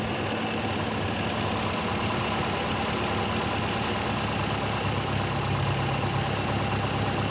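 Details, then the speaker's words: Carbureted car converted to gas (LPG/CNG) fuel after reducer adjustment, petrol drained and pump removed: steady smooth idle, no metallic rattle from carburetor; normal idle. "mesin lebih halus teman-teman tidak ada suara apa namanya semacam besi San dari karbu mulus"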